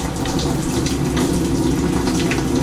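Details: Washer in test mode after water inlet valve replacement for LF/F8/E1/LO/FL codes; dispenser fill, steady strong water rush with no buzzing or sputter; inlet valve filling normally.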